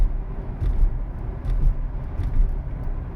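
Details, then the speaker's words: 2011–2016 9th-gen Chevrolet Impala driving over bumps after strapping down the loose passenger rear e-brake cable with zip ties: low road rumble, soft thumps, no more metallic clacking from rear; fixed. "hoping you can hear the bumps i'm going over i don't hear any more clacking coming from the back"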